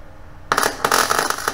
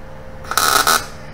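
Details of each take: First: New Chinese eBay MIG 250 welder with wire speed turned down to about 100 and voltage turned all the way up; about three seconds of harsh, uneven arc crackle with irregular pops instead of a smooth sizzle. Not enough wire speed; fix is raising it back to 135. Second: New Chinese eBay MIG 250 welder at about 17 volts and 75 wire speed on an exhaust pipe, then on dirty metal; a brief, steady, even crackling arc buzz with no popping or sputtering gives a consistent puddle; normal MIG welding.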